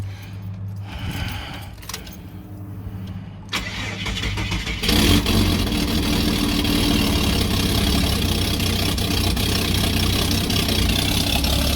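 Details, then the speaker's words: Ford XG ex-police divisional van just after catalytic converter swapped for AU Ford version to address exhaust manifold leak: engine cranks, catches and settles into loud raspy idle with smoke; owner unsure why, suspects gasket burning or exhaust blockage. "Oh, that's loud. Back in a sec. Definitely freed a few things up. Don't know why it's noisy. I'm sure I tightened that down pretty good."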